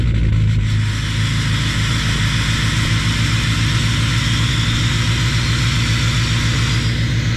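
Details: 2019 Silverado Duramax L5P cold start in below-zero weather, with an aftermarket autosync high idle controller and BCM tuning: steady, even diesel clatter with a deep rumble at raised idle, no misses or knocks. Normal cold idle.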